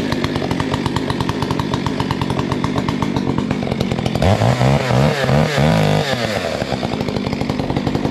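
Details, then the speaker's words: Modified Stihl 462C chainsaw, 28-inch bar, full-house chain, trimming a heavy poplar log: pulls hard with revs sagging and pulsing as the chain grabs; rakers filed too low bog and stall it. "I have a little chainsaw trouble here. My rakers were filed a little bit too low, and it's just real grabby. So you'll hear the saw die out."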